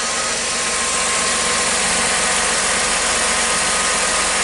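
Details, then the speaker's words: 2006 Chrysler Sebring, battery reconnected, just after start: steady even idle with a smooth hiss, no alternator whine; normal idle. "so far nothing nor do I hear any interference from the alternator nice and quiet"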